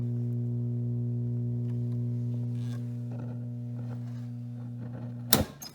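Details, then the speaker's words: 1956 NordMende Fidelio 56 3D tube radio with all original tubes, audio fading after 10–15 minutes of play: steady low mains hum as programme fades away, then a thump. "might sound a bit different just dropped right out there i don't know if you heard that it's just humming"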